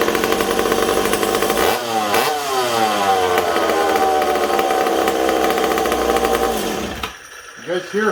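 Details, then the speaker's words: McCulloch Super Pro 70 chainsaw on bench with suspected intake air leak: raspy two-stroke idle rises and falls instead of holding steady, then cuts out; erratic idle, owner also suspects leaking petcock or decompression valve. "kind of all over the place i almost wonder if this peacock's leaking"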